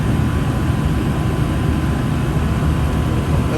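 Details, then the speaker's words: New Fasco replacement draft induction blower (119256-00 / ICP 1014341 JA) on a gas furnace, spinning freely after replacing the noisy, seizing old motor; smooth steady low hum, no ticking, scraping or wobble: normal draft inducer running. "silent basically this is spinning freely does that the whole time smooth very nice motor fascico"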